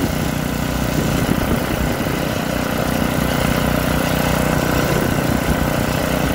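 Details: Troy-Bilt rear-tine rototiller engine after magneto cleaning restored missing spark and carburetor cleaning, during carb adjustment: small single chugs at a steady, even beat with no misses or surging; starts and runs smoothly.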